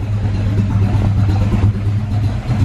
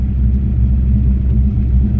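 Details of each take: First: Carb-swapped SN95 Mustang V8 after the carburettor air bleeds were backed off: low, lumpy, surging idle that barely keeps running, puffing black smoke, air-fuel reading about 11.0; mixture far too rich. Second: Ford Mustang SN95 carb-swapped V8 after carb tuning, test drive: deep even rumble returning smoothly to idle without stumble or surge; mixture slightly lean, normal.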